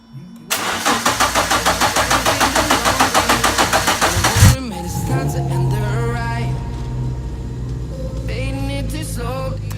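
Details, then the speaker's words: Renault Sport Clio 172 revived after 4 years of neglect: starter cranks in even pulses about four seconds, catches cleanly and settles into steady smooth idle, running and driving again. "as you can see it runs and it definitely drives under its own power"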